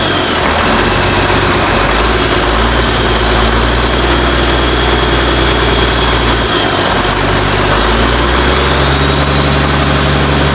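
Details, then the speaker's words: International DT466 diesel in a 1966 Ford F250 project, first cold startup after priming fuel, open exhaust, oil pressure unchecked; steady even low rumble, no knocks or misses; normal idle. "but anyways you see it running it runs really good uh don't know about oil pressure or anything like that i haven't hooked the gauge up to it"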